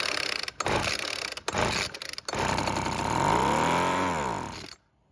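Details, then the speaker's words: Weed Eater leaf blower that wouldn't start, after recoil repair and fuel added to the carb; a few sharp cord pulls, then it catches, revs to a high buzz, drops back and stops, normal start and brief run. "Now that we know that the engine can start and run, we just need to look at the carb and see if there's anything wrong with it."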